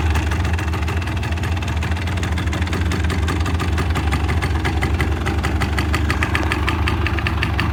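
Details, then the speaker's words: Fully restored 1985 Honda ATC250R two-stroke with the OEM exhaust and OEM baffle (stock sound), just started. A steady, crisp burble with a regular high tick, constant speed, no knocks or misses. Normal healthy idle. "It does have obviously the OEM exhaust, but this one does have the OEM baffle in it, which is super cool. So you got that stock sound."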